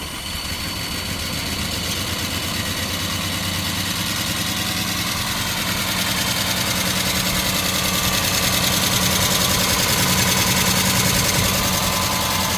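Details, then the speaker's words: 1973 Chrysler Town and Country wagon, 440 V8, radiator hose blown, oil light on: fast even metallic clatter about three ticks a second over idle; valve train suspected, possibly bad oil pump or wiped cam, not confirmed. "sounds like valve train doesn't it yeah oil lights um you think like an oil pump is bad yep"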